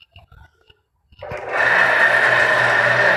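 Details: Water lift pump (stated as 16 HP) before its bearings are replaced: it starts into a loud, rough whirring drone with a steady high whine on top. The motor bearings are worn.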